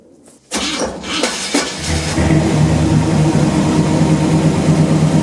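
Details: 1977 Chevrolet C10 V8, rebuilt engine, restarted after sitting about two years: starter whirs briefly, then the engine catches and settles into a deep, steady, even idle with no knocks or misses, so it is running normally.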